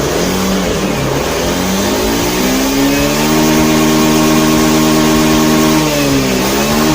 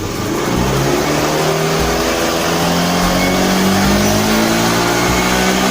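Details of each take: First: Honda Beat FI scooter after resetting the ECU: starts, settles to a steady idle, revs rise and fall cleanly with no stumble or bog; repaired, running normally. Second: Honda Beat FI scooter, complaint of sluggish, powerless response: snapped throttle gives a rising drone that climbs sluggishly and flattens instead of revving freely; bogging traced to the faulty throttle position sensor (TPS).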